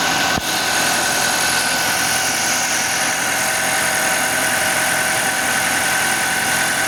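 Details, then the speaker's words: 2023 Audi Q5 2.0 TFSI (DPU), 15,000 km, idle after replacing the failed PCV valve and retorquing camshaft cover bolts: steady, even hum with no misses, knocks or hissing; crankcase pressure now stable, oil leaks fixed, normal idle. "We replaced the PCV valve, corrected bolt torque, and after the repair, the engine runs smoothly, holds stable vacuum/pressure, and is now completely dry and leak-free."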